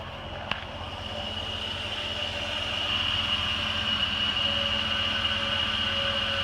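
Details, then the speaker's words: 2002 Jeep Grand Cherokee 4.7 H.O. V8, cold start and idle: steady, even idle with a constant high hum and no ticking, knocking, surging or vibration. The cold engine sounds healthy. "no weird ticking or vibrations or anything like that motor runs really"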